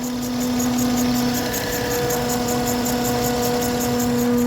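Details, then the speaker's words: 2012 Acura TL at idle in very cold weather, battery recently replaced: steady low whine over an even idle with faint rapid ticking; failing alternator whining, suspected of charging intermittently and not charging while whining, to be replaced. "yeah it got really loud so I was sitting in the car look like it was charging I think it's intermittently charging sometimes and then not charging when that making that noise like that it's not charging"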